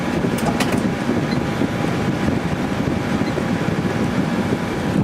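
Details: 2003 GE 12,400 BTU window air conditioner made by Samsung, running after cleaning on medium fan, drawing about 11.35 amps: steady, even rush of air over a low compressor hum, no rattles or cycling; blowing cold, working normally.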